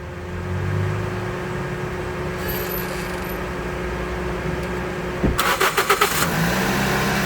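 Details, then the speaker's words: Toyota Vios gasoline engine after fixing the failed hose: short cranking, fires on the first click and settles to a smooth idle; injectors and coils fine, normal start. "Bingo. Yan. One click. Soba lang dahil hindi sira ang motor. Yung hose lang ang bumigay. Yan one click."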